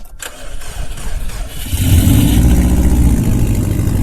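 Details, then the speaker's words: Subaru WRX STI brought out of winter storage, jump-started with a NOCO GB20 Boost Sport portable jump starter: brief fast cranking, then it catches and settles into a strong, even low rumble, starting cleanly and running normally. "Wow, I'm impressed. I didn't think that'd work. Good to hear it again. There we go, up and running."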